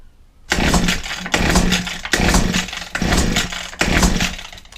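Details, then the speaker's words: Old Husqvarna 22R two-stroke strimmer, first start attempt with choke, throttle open and fuel sprayed into the carburetor throat: five rasping recoil pulls, compression present but never catches; no-start, spark uncertain. "Bit of throttle. Nothing. Let's get a bit more pull, because sometimes the petrol doesn't actually ignite."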